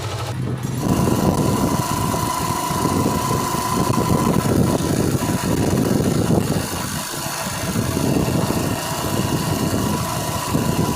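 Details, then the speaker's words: Old-model Yamaha Crux bike on test ride after replacing worn primary drive gear pinion (GPD): engine ticks over evenly, gear noise about 99% gone; faint remaining rattle from slightly worn clutch housing gear teeth. "देख lake back country trap लेकर आए हैं और engine का भी आने का sound था वो 99% रिमूव हो गया"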